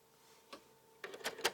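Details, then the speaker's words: PS3 Blu-ray drive no longer reads discs: with a disc inserted it does not spin; a faint hum, then a short burst of sharp mechanical clicks and ticks; abnormal loading or eject mechanism noise. "and then it makes weird noise see put in the disk another thing isn't spinning"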